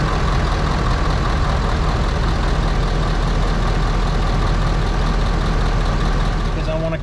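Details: 2018 Ford 6.7 Powerstroke diesel pickup idling after changing both fuel filters and priming: steady, deep, even low idle rumble with no misses or knocks; smooth, healthy idle.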